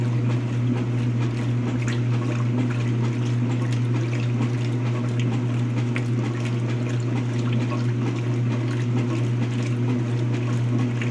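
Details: Speed Queen washer during wash cycle: steady deep hum under sloshing water with uneven low churn; strange noise, owner suspects bad transmission.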